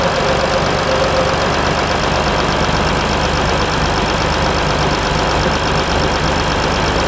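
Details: Mercedes E320 CDI S211, 3.2 V6 diesel 224hp, 250,000 km, DPF and catalyst removed, cold start after a week, slight smoke at start; heavy clatter with unsteady lumpy beat that never settles; rough cold-start idle.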